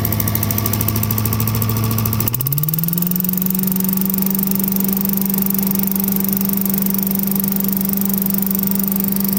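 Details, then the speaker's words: Vintage Heckinger leaf vacuum (possibly MTD-made) with a 5 hp Tecumseh TVS120, repaired with a new carb inlet needle, seat and float: idles evenly, then climbs smoothly to a steady governed speed with no misses or surging; running healthy. "quite a unique vintage leaf vac they just worked on it's a heckinger"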